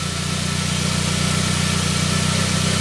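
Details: 1999 Saab 9-3 after its crank-no-start was repaired; the signal now reads 1.3 V cranking versus about 200 mV before, and 6.3 V running. Smooth, even idle with a constant low hum and no stumbles.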